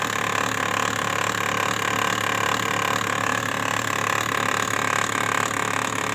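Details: Brother printer running: a continuous rattling churn pulsing evenly at nearly three beats a second over a steady hum; abnormal printer mechanism noise, cause not pinned down.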